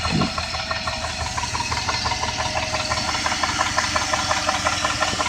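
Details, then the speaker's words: 2001 Jeep Grand Cherokee 4.7 V8 that died at a red light and now restarts: steady, fast metallic ticking at idle that speeds up as the engine revs; owner unsure whether lifter, flywheel, timing chain or rod knock; engine ticking that rises with rpm. "I need help to know if this is a redneck lifter or a flywheel or a timing chain"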